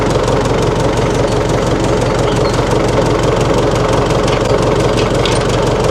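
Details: 1960 Massey Ferguson FE35 tractor, 4-cylinder diesel, after sitting unused in a paddock for a long time: steady clatter at slow idle, even beat with no stumbling; engine running properly.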